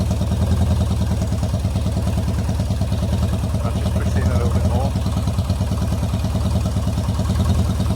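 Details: Yamaha XS650 twin at a lumpy, loping idle, about three thuds a second, better with some air restriction but firing on one cylinder. One side stays much cooler than the other. A choke cable found inside the coil was freed; the cause is not confirmed.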